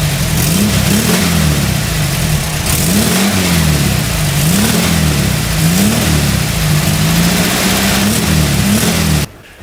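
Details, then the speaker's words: 1989 VW Kombi Cabrita, with a newly fitted Puma exhaust after the gaskets were replaced to cure popping from an air leak at the cylinder-head joint. Throttle blips rise and fall cleanly with no popping or spitting; the engine runs healthy. "Bom, esse é o ronco que ficou. É difícil explicar a diferença que eu senti no ronco."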